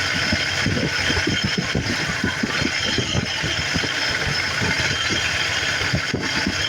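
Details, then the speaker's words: 1988 Ford F-150 5.0 V8, cold at idle, with the EGR valve manually pushed open: loping uneven idle with irregular thumps and stumbles from exhaust recirculation at idle, which may even set an engine code. "engine all right and that might have even set an engine code because that's not supposed to happen under normal circumstances"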